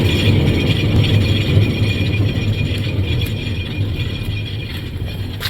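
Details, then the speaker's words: Rear wheel spun by hand, wheel shows play when wiggled, same on the other side: deep, uneven rumble under a high-pitched scrape, fading as it slows; bad rear wheel bearing, both to be replaced. "Now, if you ignore that high-pitched scraping noise, you can hear a deep kind of rumbling noise."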